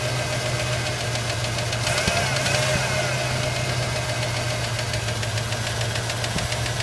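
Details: Ford Ranger engine at steady idle with a fast, light, slightly uneven ticking about three times a second riding on top; owner seeking help, cause not yet identified.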